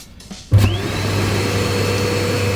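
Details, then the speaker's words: Bestway Lay-Z-Spa St Tropez air blower after upgrade to a new non-return check valve for the leaking A valve/E02 fix: motor clicks on, spins up within half a second to steady hum and even airflow, no leaks; running normally. "you can see that the spring was open, there's airflow, there's no leaks from here, there's no leaks from there, and we've got a very good airflow through here."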